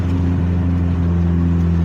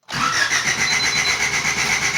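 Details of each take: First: 1988 Honda CRX Si after a temporary muffler patch repair: steady low, even exhaust drone while cruising, no hiss or rasp of a leak; noticeably quieter than before, exhaust sounds sealed. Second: 1988 Honda CRX Si after new fuel pump fitted, low fuel pressure suspected: starter spins at even rhythm with a whine for about two seconds but engine never catches; cranks without starting, cause unconfirmed.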